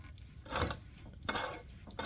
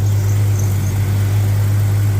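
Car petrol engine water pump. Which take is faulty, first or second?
first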